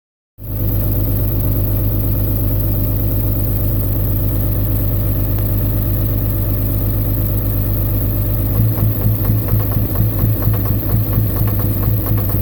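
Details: 2004 5.9L diesel truck that began smoking black and knocking at idle after a long trip: steady idle with a rough, uneven knock running through it; a kill test isolates a bad injector on cylinder 5.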